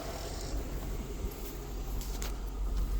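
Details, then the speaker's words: Wrecked Chevy Tahoe V8 idling right after first start, security deleted by tune; alternator connection suspect: quiet, soft low rumble with an even beat and no knocks or stumbles; normal idle. "I tuned it it fired right up deleted the security sitting here idling"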